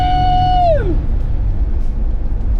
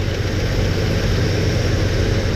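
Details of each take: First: Chevy S10 on road acceleration test after a valvetrain (rocker arm) adjustment: steady engine rumble after a fading tone, no tapping or ticking; previous noise gone, engine sounds healthy. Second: Chevy S10 engine idling with the valve cover off, oil squirting: a rocker arm is backed off during valve adjustment, giving a light, quick tapping over the low rumble from excessive rocker arm lash.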